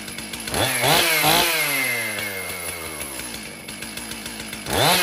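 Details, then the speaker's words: Stihl MS 362 chainsaw, about 7 years of hard use, low on power, before repair, running after hard starting: revs up and falls back unevenly, buzzy and hesitant between blips; rough running, possibly dirty air filter, fouled spark plug and need for cleaning. "okay so we know that the 362 will run hard to start but we got it going um maybe not a big deal this could be a combination of a dirty air filter a foued spark plug and the saw needing a very good cleaning"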